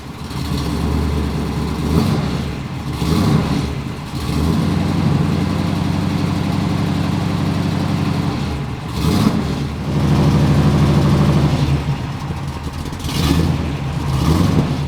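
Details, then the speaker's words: Square-body dually truck with a 502 crate engine and a newly fabricated full exhaust system replacing a badly leaking one; clean throttle blips with a deep, even rumble and no puffing or hiss, no exhaust leak. "No exhaust leak. Look it. No exhaust leak. Wow. That's definitely a 10."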